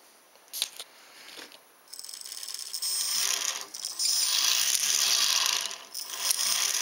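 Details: Ornithopter gear train driven slowly by an EastSky motor of roughly 4200–5000 kV with a 10-tooth 48-pitch pinion: quick ratcheting clicks about three per second over a faint high whir; glide locks prevent backward rotation, normal.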